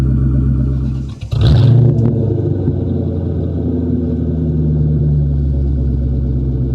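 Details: 1997 Mustang GT just fitted with SLP Loudmouth exhaust and BBK X-pipe, before the K&N cold air intake, started on a cold day: deep even V8 burble and a clean throttle blip back to steady idle; no check engine lights, sounds right.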